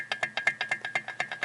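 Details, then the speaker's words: 1965 Royal Enfield Interceptor 750, engine stripped, piston rocked by hand in the cylinder: sharp dry clacks about eight a second as the piston slaps in a bore worn oversize mid-cylinder; loud at 2,000–3,000 rpm running; fix is reboring the cylinders true. "So there's a lot of wear right there in the middle of the cylinder, and that's what we're hearing. Of course, obviously at engine RPMs of 2,000 or 3,000 RPM, it gets very pronounced, and I can hear it really loud."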